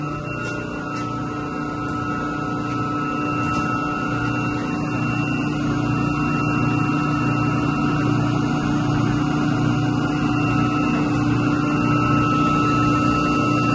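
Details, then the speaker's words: Two York YMC2 magnetic-bearing chillers in series on a single 60 hp chilled water pump, after replacing the pump coupling to cure vibration noise: steady, even hum with a few constant tones, no knocks or rattles; running smoothly. "well definitely sounds good over here vibrato and run for a minute and then I'll fire these chillers back up well so far so good"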